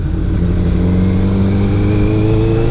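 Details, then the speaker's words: Small motorcycle revved high in first gear while riding: tone climbs to a whining, screaming strain signalling it is time to upshift to second, which calms it down. "high RPMs you hear it whining screaming too it's saying shift shift so you shift second"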